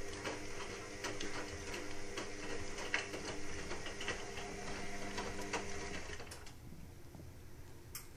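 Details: Indesit WIXL143 washing machine, stain removal, easy iron and door lock lights flashing, cause unknown: fast uneven clicking about three per second for several seconds, then silence, cycle never finishes; repetitive clicking.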